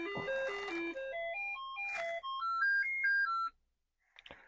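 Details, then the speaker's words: Commodore 64 with suspected RAM faults, running a diagnostic cartridge sound test: stepped beeping notes climb in short runs and sound thin, as if the SID chip is missing its last voice; suspected, not confirmed. "So I'm still thinking RAM, although it does seem to sound like the SID chip is missing its last voice."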